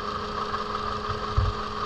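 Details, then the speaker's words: 2007 Toyota Camry with flashing check engine light after new plug wires: uneven, stumbling idle; unplugging each coil shows the number 3 cylinder coil is dead, causing the misfire. "So that means that coil is not working. It don't change at all, which have the engine running like crap."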